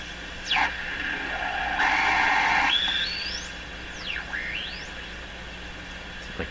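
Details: 1925 Lacault Ultradyne receiver with its Steinite coil restored to original wiring, tuned on a loop antenna with regeneration: whistles sweep up and down across stations and a faint voice comes through. It now receives broadcast stations properly.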